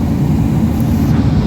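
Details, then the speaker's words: Mitsubishi Adventure dual A/C, rear blower raised to high: loud steady low roar, no rattle; still cold but weak airflow, dripping water; dirty evaporator suspected, drainage possibly clogged, before evaporator cleaning; loud blower drone. "malalaman ninyo lalo kung marumi na pagka tinaas ninyo yung blower, tapos lalo nang maugong."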